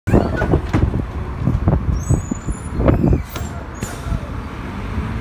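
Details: NXWM bus 4386 braking: a heavy rumble with hissing air and clunking bursts, then a brief high squeal as it slows; an odd brake noise of unclear cause.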